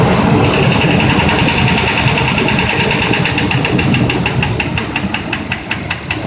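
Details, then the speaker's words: 8.1L V8 at 80K miles, rough idle with sharp regular knock about 3.5 beats a second from one corner, gone at 1500 rpm; piece of piston broken off from running lean due to contaminated MAF sensor. "okay we're looking for the knocking sound coming from the engine"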